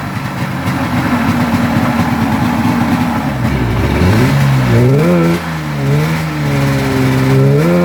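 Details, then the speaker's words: 1996 Polaris XCR 440 Special, EC45PL8 engine fitted with 38 mm carbs instead of the correct 34 mm: two-stroke revs unevenly with a wavering, stumbling pitch and never settles; runs poorly from the wrong carburetors. Crank bearings also grindy. "It still has the 440 special EC45 PL8, but it was missing the 34 mm carbs. It had 38s and it ran like crap."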